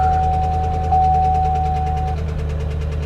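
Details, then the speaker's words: 2011 Chevy Camaro SS salvage-auction car, started on a booster pack: heavy rhythmic rod knock, a deep thud every crank turn over rough idle; owner had hoped for a lifter. "a rod knock well damn I'm not gonna rev it much but I do want to tap it just a little bit to see how heavy that is yeah that's a rod knock"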